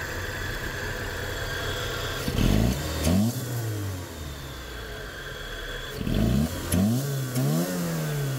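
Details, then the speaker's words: Peugeot 405 after injector service fixing a misfire/stumble on acceleration: engine idles then rises cleanly through two quick revs and settles, no stumble or miss; injectors cleaned, not replaced. "خب همون طور که دارید می‌بینید ماشین کاملاً صاف شده و اون ریپ اولیه رو دیگه نداره پس متوجه شدیم که ایراد از سوزن بود"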